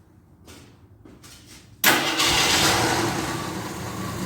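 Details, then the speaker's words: 1983 Jeep Scrambler barn find, sat 4–5 years, fed from a gas can as an IV: a few soft cranks, then a sharp catch and steady even run that eases slightly; it keeps running out of gas, so the can needs raising. "now sounds pretty good she keeps running out gas think my holes is I think I got to take my ID back up higher"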